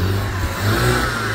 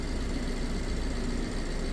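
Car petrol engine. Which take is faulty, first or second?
second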